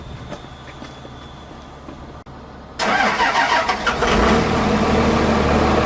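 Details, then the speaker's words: Cummins diesel cold start at the same temperature with grid heaters still disconnected but block heater plugged in: short crank, catches at once, revs up and settles into steady idle clatter with a little smoke; normal cold start. "There you go. That's how much difference a block heater makes. It has no grid heaters plugged in at all right now."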